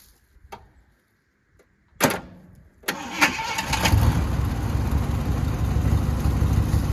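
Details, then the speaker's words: 1979 Jeep Cherokee, AMC 360 V8, sat unstarted 3-4 years: a couple of lone clicks then a short crank before the V8 catches and settles; starter intermittently hesitating to engage, cause unconfirmed (ignition switch considered, probably not). "Got a few kinks that's got to be worked out, guys. Starter's still acting kind of funny."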